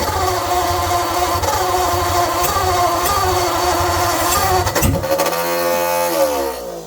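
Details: 1948 Ford flathead on an engine stand, choke half open, poor carburetor leaking fuel, melted wire; rough uneven running for a few seconds then coughs, winds down and stops, with fuel starvation noted.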